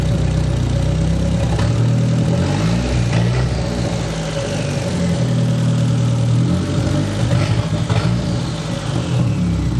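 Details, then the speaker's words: The "200", bad misfire persisting despite ignition work, exhaust cut free: loud uneven idle wavering and stumbling under light blips. Rough idle misfire, cause suspected, not confirmed. "it tries to die when I'm filling with something then you know it's a pretty bad sign if it runs smoother all of a sudden when I'm fiddling with something"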